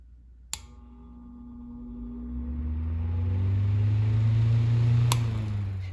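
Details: 1950s Electrohome 8-inch desk fan, model 608S, shaded-pole motor, last oiled years ago (bearings sounded somewhat dry on spin-down): a click, then a low hum climbing smoothly to speed with no rattle or scrape. A healthy start-up.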